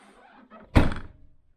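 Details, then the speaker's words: 2014 Land Rover Freelander 2 SD4 tailgate shut after trim panel removed: one solid thunk dying away cleanly, no jingle or metallic rattle; previous clanky jingle traced to a loose metal trim clip bouncing around inside; tailgate closes without rattle. "no noise yeah it's lost the clanky sound we were getting so it's entirely down to one of these metal Clips just loose a drift probably bouncing around here"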